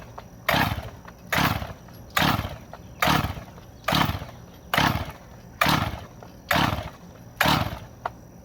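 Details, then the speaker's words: Rebuilt chainsaw, Husqvarna 575XP or Stihl MS361, low-speed carb screw set about one turn out: nine sharp rasping pull-starts, each dying away with no pop or catch; no-start, owner suspects a stuck decompression valve. "should have popped by now I would think anyways feels like my d-CON valve is stuck"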